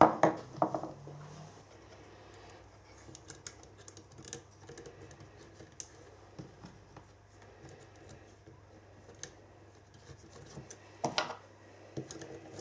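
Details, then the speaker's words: Three-phase motor rewired from star to Delta with a capacitor and run on single-phase 240 V, turning in the correct direction: quiet, steady low hum under some bench clatter, running evenly and healthy; normal running. "break its nail runnin in the correct direction we love to talk it sounds nice and quiet wait"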